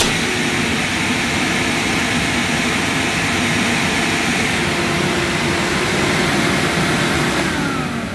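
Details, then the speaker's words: Hoover S3850 Galaxy vacuum cleaner after fault finding with new fuse: steady loud rushing whine at even pitch, easing off at the end; earlier electrical burning smell now fading, motor or suppressor suspected. Normal running. "Okay, well, it might be just, it doesn't smell so bad now, but at least now the Galaxy does work, so that's good."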